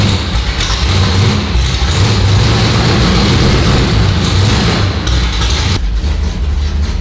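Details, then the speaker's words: 340 V8 Duster sitting for 22 years, first run after revival: loud, deep, lumpy idle with an uneven chugging beat and no smooth rhythm; runs rough, like a tractor. "God God it's sounds like a tractor who that's a problem"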